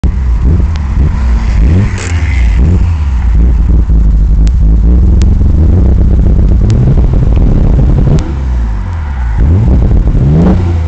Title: Skyline GTR Misfires/Wtf